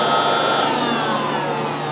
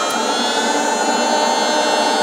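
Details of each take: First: 2007 Mazda RX8 with codes P0411 and P2259: secondary air injection pump commanded on, steady vacuum-like electric whir with slightly falling whine. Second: 2007 Mazda RX8, 1.3 L rotary, with codes P0411 and P2259 after four air pump replacements: steady whirring air injection pump tone whose pitch shifts as the air valve is opened with vacuum, so pump and valve work normally.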